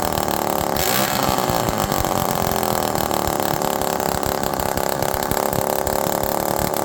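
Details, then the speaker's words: Cooled-off Homelite Super Mini chainsaw with no exhaust fitted. Revs high, then stumbles and hunts erratically back toward idle, getting very rich. Suspected causes are dry crank seals letting in air or the missing exhaust; neither is confirmed. "Now this one's acting a lot better now, but it's erratic going down to idle. Now it's starting to get really rich."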